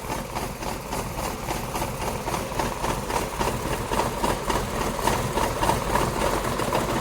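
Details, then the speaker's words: Tata Tiago petrol engine idling roughly with a lumpy, uneven chuff about four times a second: a severe misfire that makes the car shake violently; cause not yet identified. "तो इतना खतरनाक missing पहली बार ऐसा हमने देखा है कि गाड़ी डांस पूरा कर रही है।"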